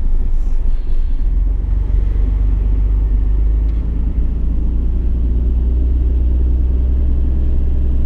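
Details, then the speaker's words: 1991 Nissan R32 GT-R, RB26DETT (Series 1), with a low oil pressure concern, just started cold: low, smooth, steady idle with no knocks or ticks, no oil or fuel leaks, about 75 psi oil pressure. "okay so there are no major oil leak there are no fuel leaks and as you guys can see outside of the car and we are at about 75 psi of oil pressure seventy-five so I'll let it idle"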